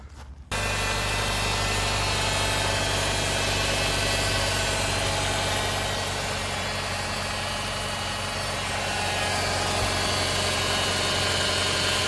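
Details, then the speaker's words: 2008 Nissan Versa CVT that slipped out of gear a couple of times: thin, steady loud whine over the idle from start-up. Check engine light with a stepper motor code. Suspected CVT fault. "Like it just sort of slipped out of gear a couple times, and I hear this loud whining when I start it."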